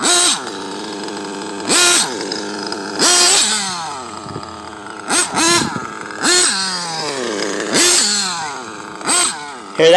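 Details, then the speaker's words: Tekno nitro buggy with a modded RB engine, box-tuned before filming, with a reading of 196: sharp high screams on repeated full-throttle punches that rise cleanly and fall back to a steady idle, showing a well-dialed tune. "you know that's that's when your tunes pretty pretty dialed"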